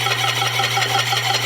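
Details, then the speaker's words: 30 lb Kerrihard power hammer, first test run; high rhythmic squeak about six times a second over steady motor hum. "Nó có tiếng kêu ken két, phải không?"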